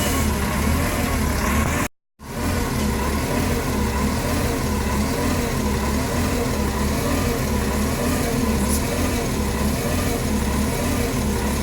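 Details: 2008 NFI C40LF bus, diesel engine idling: uneven lumpy low pulse that wavers instead of holding steady. Rough idle, cause not evident.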